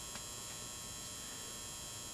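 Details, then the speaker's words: 400 W pulse-start metal halide high-bay lamp, possibly mid-to-late-90s fixture never used, just switched on for the first time. Faint, steady ballast hum with no buzzing, not loud: normal ballast hum. "It has that characteristic hum of the ballast, but it's not loud, but you can hear"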